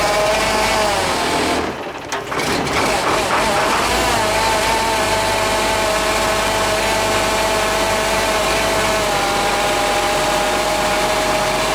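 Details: Freshly rebuilt International DT466 diesel cold started at 1°F without block heater plugged in, batteries possibly weak: brief stumble, then catches and holds a steady, even idle with faint whistle; healthy cold start.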